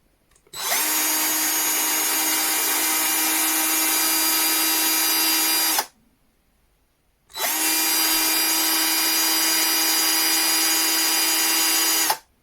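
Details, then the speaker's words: Einhell TC-CD 18/35 Li cordless drill running with no load, measured at about 40 cm with about 69 dB: two even five-second runs with a steady high whir and a clean start and stop. It sounds healthy. "So we get about 69 decibels. Nice number."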